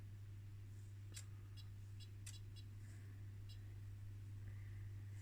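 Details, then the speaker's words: 1980 homebrew UPS (12V lead-acid battery to 220V inverter), 50 Hz signal-generator input, output only 1.4 V: steady low hum with sharp clicks; inverter oscillating, cause unclear. "I can really hear some funny funny sounds and it does not sound like this is supposed to sound like that"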